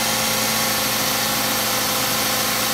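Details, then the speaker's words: Ford Fusion idling, belt reinstalled: thin, steady high chirping squeal from a belt tensioner pulley whose bearing is rusted or dry; rust visible on pulley sides; P2004/P2008 intake runner solenoid codes also present. "you see this rust along the sides of the pulley that's a bad sign it means that the uh uh the bearings is Rusted inside or is it or it's very very dry so Yep this is the reason why it's so noisy it's like chirping because it"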